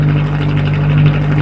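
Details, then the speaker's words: Atomic 4 inboard boat engine running at 40–45 psi oil pressure with temperature rising; a steady, even, smooth low rumble with no misses. Despite needing a new gasket, it sounds much better. "oh she just sounds so much better carrying a good 40 45 pounds of oil oil pressure temperatures coming up"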